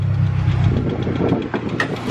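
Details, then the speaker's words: Honda Civic Si EP3 at idle: rough, lumpy idle with a heavy, rapid knocking tick that sounds like rod knock, but the owner has verified it is not rod knock and calls it a loud valve tick. "It sounds like shit. It honestly sounds like rod knock, but it's not rod knock. I verified it."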